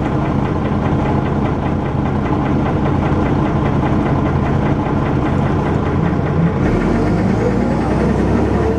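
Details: First Manchester Dennis Arrow bus 31923 (P423PVW), recorded 11 June 2012, under way: heavy diesel thrash with a coarse, irregular knocking pulse about once a second over the drone; knock present, cause unknown.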